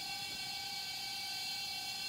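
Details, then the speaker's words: Junked laptop, 1 GHz Pentium III with 256 MB RAM, at boot: constant high-pitched hard drive whine, louder than most older 3.5-inch drives; owner suspects a very old or heavily used drive. "it's louder than most of the three and a half inch drives i have the older ones at least"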